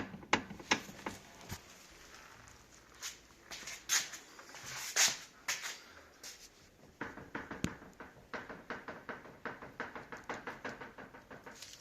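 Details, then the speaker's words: Audi S8 D3 5.2 V10: sharp clicking clunks in quick bursts as the steering wheel is turned back and forth, seemingly near the steering rack; rack mounting bolts are tight, cause unknown. "Audi S8 5.2 V10. I am having a hard time figuring out what is making this noise. It sounds like it's over there or down here by the steering rack, but I cannot figure it out for the life of me."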